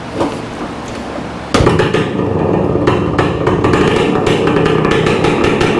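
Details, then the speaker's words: 1966 Suzuki Bearcat 120cc two-stroke, kick-started after a new spark plug, carburetor cleaning and reseating the throttle cable; crisp, loud, ringing buzz with a raw open exhaust note because the muffler baffle is missing; otherwise running well. "sucker sounds good this guy sounds really good it's super loud and that's because I don't know if I shared this with you guys already but yeah you got a baffle it's missing a baffle"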